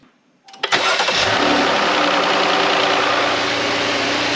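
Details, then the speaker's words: Jeep JK 3.6 Pentastar V6 cranks and fires after a Baxter Performance oil filter adapter install, then idles with a light, quick valvetrain tick while dry that fades once oil reaches it; shouldn't recur. "there's did you did you hear that ticking that went away that was when it was kind of dry and then it got oil and so that should not happen anymore"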